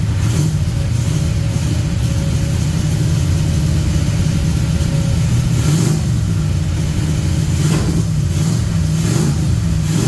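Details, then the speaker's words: 1966 Pontiac LeMans parked three years during bodywork, running after a new battery: low uneven idle, struggling, with occasional sharp clanks from the mid-engine area only at low idle; source unclear, possibly transmission front pump. "Got something clanking around in the in the mid engine area of the car. something that's only doing it when it's like low idling, struggling to idle."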